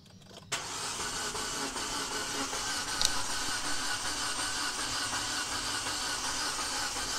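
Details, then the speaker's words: Proton Exora turbo that cranks fast and freely, as if it has no compression or a snapped timing belt, but never fires. The owner says it isn't the timing belt but stuck parts, and plans to remove the plugs, add oil and force-crank it to life. "Kereta boleh crank tapi dia jadi macam gelus compress Dia jadi macam timing belt putus tu."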